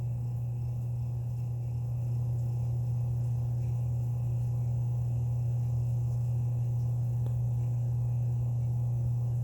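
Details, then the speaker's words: Hammond organ slow motor, worn and due for a rebuild kit: steady low hum with faint uneven ticking about three times a second as it slows and drops; the little spindle is bouncing. "watch when it drops you're gonna hear and it'll be bouncing this little spindle part right here will be bouncing right here"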